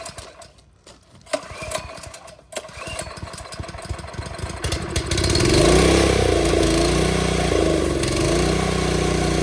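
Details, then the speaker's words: TrailMaster go-kart that won't start after sitting through winter, fuel on, choke pulled: several sputtering pulls, then it catches and runs roughly only on fuel poured in, then dies. Spark and compression good; fuel-starved carb suspected, jet possibly stuck. "Nope, it was just drinking what I put in there. All right, so now we know spark's good, obviously, and compression and everything, which we knew that was good in the first place."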